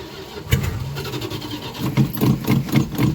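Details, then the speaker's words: 1989 Dodge Ramcharger 2WD that sat about 14 years, with fuel poured into the carburetor: slow, uneven cranking, a sharp pop, then ragged low firing as it barely catches; hard start after long storage. "on baby yes finally something making some noise he's a little unhappy but i guess that's what happens when he ain't been running"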